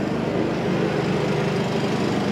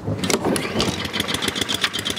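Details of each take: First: Honda-powered Billy Goat at about 21–22°F, running after a choke adjustment got it started: even, steady engine drone holding constant speed under load with no misses or knocks; running properly. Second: Honda-powered Billy Goat, cold start at about 12°F: sputters into life, then uneven, weakening firing pulses fade toward stalling; cold engine starving because the choke flap won't stay closed unless held.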